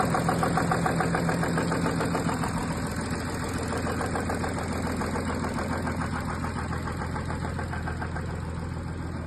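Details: Audi A6 3.0 TDI: steady diesel idle with a regular tick about three and a half times a second riding on top; source still unknown.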